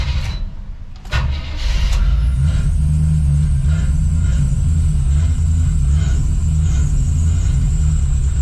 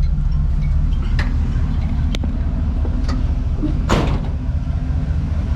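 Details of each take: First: Chevy square-body crew cab with TBI, right after a tune-up with new cap and rotor: cranks, catches and runs with a low uneven throb, staying alive only on the throttle; stalling from a weak fuel pump. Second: Square-body Chevy crew cab TBI truck that died after tune-up (cap and rotor) and wouldn't idle; after suspected fuel pump fix it starts and idles with steady even low rumble, no stumbling; smog pump screech noted at startup.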